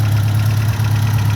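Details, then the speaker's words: Ford Mk1 Escort panel van engine idling after a PCV valve replacement, warming towards operating temperature: steady low idle with an even pulse and no chugging, unlike the earlier steam-train chugging, a normal idle. "Before it was chugging like a steam train. Now it's not. So I'm happy with that."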